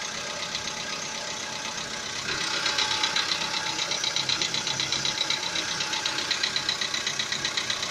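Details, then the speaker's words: VW Polo Sedan, CFNA engine, about 80,000 km, idling: sharp metallic knocking about four per second, audible even in the cabin, which began roughly 3,000 km earlier. The internal engine knock's cause is not yet found. "Полоседан, двигатель CFNA. Застучал где-то, наверное, 3 тысячи назад. Застучал мотор. Ну, даже в салоне слышно."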